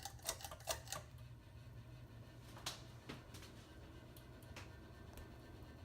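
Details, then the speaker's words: Late-1980s first-generation 29" FASCO Vanity Fair ceiling fan running: uneven light ticking over a low steady hum as it wobbles noticeably. The owner suspects the flywheel cover is out of centre and causing the wobble. "does definitely wobble quite a bit actually I'm gonna have to do some work on that flywheel"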